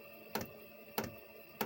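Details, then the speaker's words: Chinese diesel air heater that lost heat and threw E10: pump ticking roughly every 0.6 s over faint fan hum, fuel reaching the pipe yet no heat; suspected contaminated diesel not burning. "obviously it's still lit because it's not getting any heat and i"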